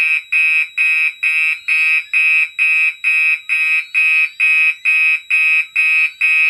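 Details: Mixed Gentex fire alarm system test with DMP XR-500 panel: harsh buzzing horn blasts repeating about twice per second in alarm, before audible silence.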